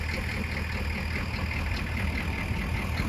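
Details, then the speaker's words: 1969 C50 truck ("the King") at idle, needing major repair before a trip. Loud, coarse, gravelly idle with a steady rattle, described as sounding like rocks. A header miss or leak is suspected, but the cause is unclear. "Horrible sounds. Sounds like rocks, don't Sounds like they're getting ready to make ice cream with one of them header misses."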